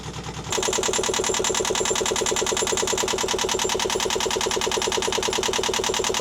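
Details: Newly installed Yanmar 2GM20F diesel in a Prout catamaran, cooling water drawn from a bucket: crisp, even chugging at about two and a half beats a second, loud from the open exhaust; idles steadily and healthily.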